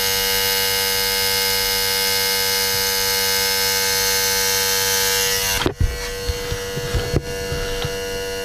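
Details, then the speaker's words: Electric vacuum pump on an Audi A3 as the bleed valve is opened, vacuum dropping from about 28 to 18 inHg then further: steady high-pitched whine, then a sudden pitch shift and scattered clicks as the bleed opens; normal. "so we're going to come to the bleed valve we're going to open it you hear the noise change we now have about 18 inches of mercury open up some more"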